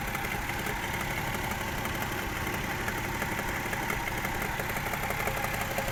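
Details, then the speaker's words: Toyota 1JZ-GE at idle after new spark plugs and gearbox oil change: faint, fairly even tapping about three per second with slight rpm dips; knock of unknown origin, camshaft torque check suggested. "в этой части подозрительный стук. И подрагивают обороты. Как будто просадка в оборотах."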